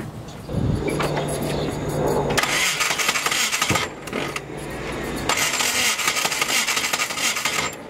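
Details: 600+hp GSX with 2-step, hot day (~100°F): engine catches after cranking then runs rough and uneven with ragged bursts; timing or fuel pump first suspected, found to be bent intake valves, head being rebuilt with new valves.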